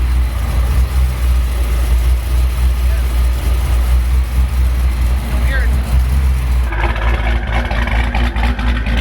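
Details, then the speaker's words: Hellcat Charger with Hellion twin-turbo kit after exhaust flange changed and previous ticking exhaust leaks fixed: deep, steady V8 idle with faint turbo hiss and no ticking; normal idle. "I don't know if you guys remember when I was filming from here before, you heard a lot of ticking and all that. That was all exhaust leaks. But now, listen. You guys hear how quiet the motor is?"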